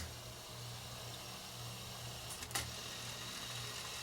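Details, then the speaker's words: 1980s Marantz SD9000 cassette deck with new idlers, rewind first sluggish (suspected tape marked NFG), tape flipped: quiet steady motor hum, even whir, one brief clack; rewind now runs smoothly. "It's rewinding, but it's uh maybe it's the tape. Let's just turn the tape over."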